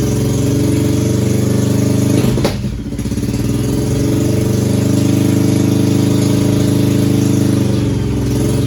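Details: 2001 Yamaha 1100 motorcycle that started but wouldn't stay running, carbs cleaned and spark plugs replaced: engine catches after a brief stumble, then settles into a steady, even idle with a smooth low beat, now running properly.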